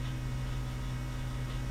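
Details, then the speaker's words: 1989 Jeep YJ with newly installed ACES fuel injection, key on, engine not running: steady low electric hum of the fuel pump priming; normal. "you hear the fuel pump priming watch"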